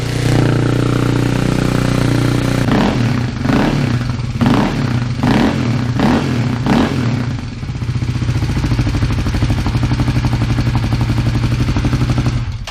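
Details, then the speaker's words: Kawasaki KLX250S single-cylinder with a freshly fitted FMF Q4 exhaust replacing the stock one: starts with a thump, a few sharp throttle blips, then a fast, loud, even idle with a raspy open bark. Much louder than expected; owner may add a baffle. "It's a bit loud. Much louder than I thought it'd be. Might have to get a baffle for that or something. That's, yeah, she's pretty loud."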